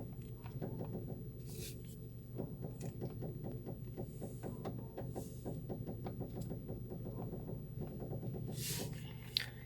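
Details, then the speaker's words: 2010 Honda New Civic front suspension: creaky, juddering spring vibration over a low engine hum as the steering wheel is turned, heard near the front strut tower; binding strut mount bearing causes spring judder. "a mola quando você vira o volante ele dá aquela calar tremida na mola incomoda bastante"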